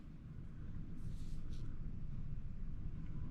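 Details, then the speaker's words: Home air conditioner after installing a new dual run capacitor, breakers and thermostat back on: low steady hum swells within a second and settles into an even drone; unit starts and runs normally. "Or just listen for it, and if you hear it turn on, then you're all good."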